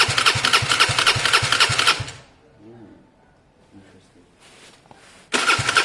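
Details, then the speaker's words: Gilera DNA 125 scooter, airbox off, brake cleaner and WD-40 sprayed through the carb: starter churns three to four beats a second, stops, cranks again without firing; owner suspects the engine has gone bad, not fuel. "I wish I had some spray brake cleaner, but there's quite an idea there that this engine's gone bad. It would have started, basically."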